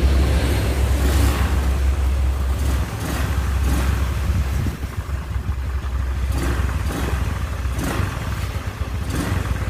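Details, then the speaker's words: Carbureted Honda Scoopy after engine rebuild with new piston rings and cleaned, lapped valves: low, even idle putter with light blips settling smoothly, no knock; normal idle, though starter weak from battery. "Oke Guys sudah selesai perakitan mesin Honda Scoopy karburator ya alhamdulillah suaranya sudah halus dan bersih"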